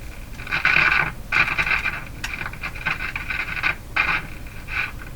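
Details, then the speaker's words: Circa-1949 Philco 49-501 Boomerang tube radio: irregular scratchy crackle bursts each time the volume knob is turned, fading between turns, from a dirty, worn volume control; to be cleaned. "closed that's bad volume control yeah okay so we're going to do a couple things here I'm going to turn the power off going to clean the volume control make sure it's working properly"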